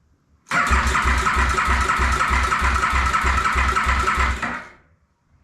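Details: 2008 KTM Super Duke 990 first start attempt after reassembly on a fresh battery, rectifier ground not connected: steady cranking at about three compression pulses a second, even rhythm, never fires; turns over but won't start.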